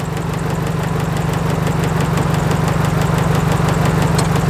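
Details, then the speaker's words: Nissan S13 200SX running on three cylinders during a coil-unplug test: a lumpy idle that is unchanged with the number one coil unplugged, so cylinder 1 is not firing. The number one coil pack is suspected. Cylinder 1 misfire. "no difference whatsoever okay that's part number two hopefully it dies it dies okay so this is good we think i think it's gonna be number one coil pack"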